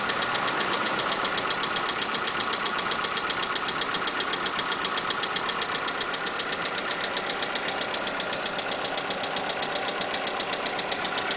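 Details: 2011 Skoda Fabia engine at idle: sharp regular ticking knock about four times a second over steady idle; cause not yet pinned down; engine knock.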